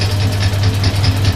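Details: Suzuki GS550 converted to DIY fuel injection with used Triumph parts, crank-position-sensor test with the engine spun over: crisp injector ticks about five per second over a low hum, reading 560–570 rpm. Injectors fire as they should.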